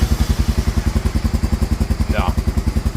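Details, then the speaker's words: Honda Fourtrax quad reassembled after a no-spark diagnosis: an even, steady single-cylinder thump at about 2.5 beats per second with no misses or knocks; normal, healthy idle. "he's doing it's a healthy motor very happy about that"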